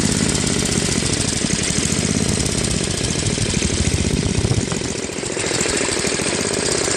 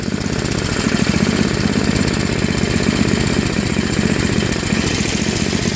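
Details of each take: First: Tecumseh Snow King 5.5 hp 195 cc snowblower engine, carb cleaned after a year of storage, leaking back gasket; low idle rises and falls every few seconds, hunting, fixed by adjusting the idle screw at high and low throttle. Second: Craftsman Trac-Drive snowblower, Tecumseh Snow King 5.5 hp 195 cc, surging after storage and carb cleaning, fixed by idle screw adjustment at high and low throttle: fast, even single-cylinder chug, no hunting or surging; normal running.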